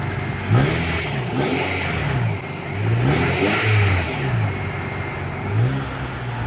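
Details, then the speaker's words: Car engine revved up and down repeatedly with a raspy, blatty edge over the exhaust note; owner says the exhaust is broken and calls it an exhaust leak, not yet fixed. "noise my exhaust is broken and it's irritating to me"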